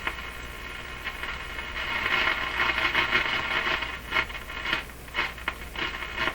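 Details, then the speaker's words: Nordmende Boheme C tube radio on broadcast band after replacing four more capacitors: irregular crackles and scratchy bursts over hiss, not tuning; the tuning capacitor plates are suspected to be rubbing, or its rotor grounding is bad, not confirmed. "still hear all that static and crashing not tuning at all what happened there [Applause] sounds like the plates are rubbing"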